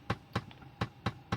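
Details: VW Polo, cabin: sharp tak-tak taps about four per second, each with a dull low thump, right after the AC is switched on; the recirculation flap actuator is faulty and skipping.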